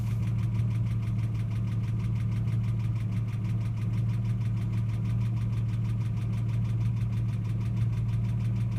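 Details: Ford AU XR6 at idle: fast, fine, even ticking chatter over a low drone, appearing only after revving above 4,000 rpm and fading over about 5 minutes; cause unknown; abnormal engine noise.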